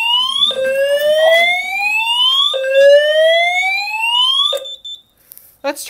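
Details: Simplex 4010 fire alarm panel, test 30, multi-tone horns after pulling the metal T-bar pull station: repeated rising whoop tones, each sweep climbing about two seconds then snapping back, loud and clear; horns sounding normally.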